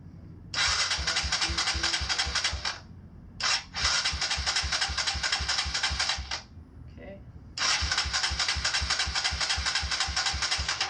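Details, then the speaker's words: Freshly rebuilt Kawasaki KLX140 bored to KLX170, cranked about ten times with fuel on to circulate oil before first start-up and break-in: even chugging at about four per second with no rattles or knocks. Normal cranking. "sounds good sounds like it's supposed to sound that it's not making any strange noises"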